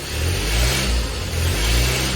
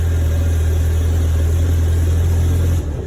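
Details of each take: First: 1972 Fiat 850 Spider engine after carburetor and timing work, revved with the gas pedal: climbs and drops back smoothly on each blip, crisp and even with no stumbles; running well. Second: 1972 Fiat 850 Spider, cold and not yet warmed up: uneven, lumpy chugging that sags and recovers, worst when given gas; rough running, owner suspects the accelerator pump or carburetor.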